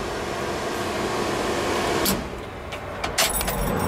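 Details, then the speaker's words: 1976 Ford F-250 heater blower motor, newly wired and mounted during heater core replacement, heater hoses not yet connected: steady, even whoosh of air with no wobble or scraping, a few handling clicks near the end; blower runs smoothly. "all right guys we got wired and mounted uh I don't have the water hoses on yet but we we'll uh start the uh electric motor"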